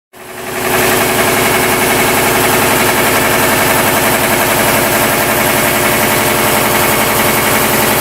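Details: 40-year-old 25 hp American Kellogg 462 piston air compressor before overhaul: loud harsh running with rhythmic knock, rod knock on 3 of 4 connecting rod bearings.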